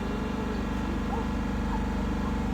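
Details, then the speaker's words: 2021 Dodge Durango R/T 5.7L HEMI V8 after new spark plugs: engine settles back to a steady, even idle after throttle release, no knocks, ticks, roughness or shaking; normal idle, no misfire. "In this case, the engine sounds good. I just released uh released uh the accelerator. Still no uh no abnormal noises. Yeah, you would see the engine shaking if you had a misfire."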